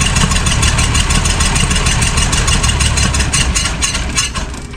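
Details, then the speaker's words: 1966 Ford Mustang six-cylinder barn find, unrun for 40 years: starter cranks about three beats a second, engine catches briefly but won't keep running; an open vacuum port was found, suspected of starving the carburetor of fuel. "I did find an open vacuum Port here so I think that's why we weren't uh sucking enough air through the carburetor to get fuel on its own"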